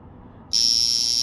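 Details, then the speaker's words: 1968 Jaeger-LeCoultre Memovox Jumbo automatic alarm wristwatch, Model 855, calibre 825, stainless steel, in great condition. A loud, shrill mechanical hammer buzz snaps on and holds a steady, even pitch without faltering. Normal alarm buzz. "so this is the bumper automatic let's get the alarm going see what what it sounds like quite a loud alarm from memory"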